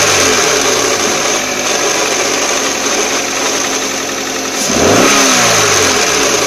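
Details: 2004 Toyota Corolla CE, manual, clutch at 146,000 miles, cold start in neutral, clutch pedal released: steady high whine continuing through a rev blip; stops with clutch pressed and after warmup; owner hopes throwout bearing rather than transmission.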